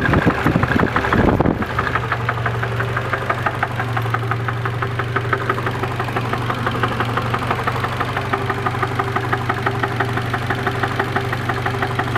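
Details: Nissan KA24DE engine at steady idle with a light, regular tapping about three knocks a second over the engine note; owner suspects a bad rod bearing (rod knock) at 170 miles, unconfirmed.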